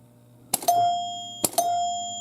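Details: 1977 Williams Lucky Seven pinball machine, trying to start a game without a ball: two clean bell strikes about a second apart, clear and sustained with sharp attack; chimes working properly.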